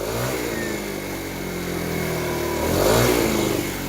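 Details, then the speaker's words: TaoTao 50cc scooter after burning off old smoke: small single buzzing then picking up smoothly as the throttle opens, no bogging or stumble anymore; sounds healthy. "and then it kind of went away, and it's running much smoother to the point where whenever I crank on this now, there's no bogging down anymore."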